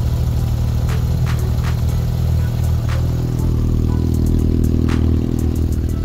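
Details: Yamaha XJR400 four-cylinder after the valve clearances were reset to spec; they had previously been noisy. Steady idle with a smooth low beat and no valve-train ticking; now quiet and healthy.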